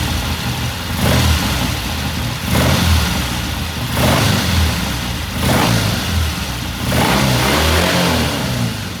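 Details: 1969 Triumph TR6 twin idling after cold start; pilot air screw turned in half a turn after pilot jet cleaned. Steady, even idle, smooth low beat, gentle throttle blips holding revs cleanly; sounds good, normal idle.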